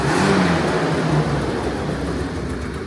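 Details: 1980 Yamaha Exciter two-stroke snowmobile, revived after sitting 19 years, first test run after tank cleaning, throttle cable swap and premix added to the tank: crackly fast even burble, slight unevenness, no knocks, smoky; running normally.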